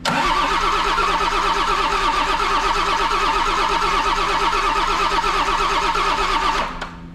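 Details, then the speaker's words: Auction-bought non-running John Deere diesel engine, gravity-fed from a funnel after bleeding fuel: steady cranking about three compression pulses a second with no smoke or firing; no fuel delivery, injectors to be cracked to bleed air. "hmm I don't see any smoke yet either um what does that mean for a feller let's go ahead and get a 19 and crack these injectors really quick"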